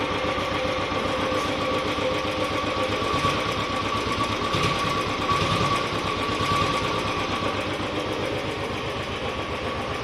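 Steady, even thump of the single at idle with no tapping or clatter standing out; sounds healthy.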